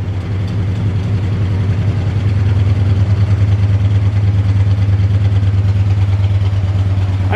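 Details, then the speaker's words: Barn-find 1970 Chevrolet Chevelle V8, first run after sitting: lumpy, slightly uneven idle of about three pulses a second; possibly missing on one cylinder, cause unclear. "mean, it sounds like it's firing on all eight too. Yeah. Maybe it might be missing on one hole, but I mean, we know it goes into gear, so let's see."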